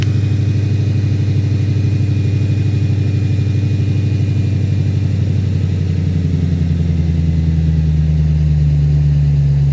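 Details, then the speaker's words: Ford Thunderbird with a rarely fitted aftermarket exhaust, heard at a dealer auction: deep, throaty exhaust burble at a steady idle, even and healthy with no knocks or ticks; separately, its power steering is non-existent and whined earlier. "Well, that exhaust sounds mean."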